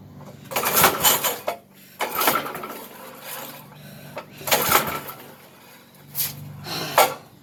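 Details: 33-year-old Briggs engine on a yard kart restoration, which also has suspected carb problems: short, roughly one-second bursts of starter churning that never catch, with no spark because the kill switch is off.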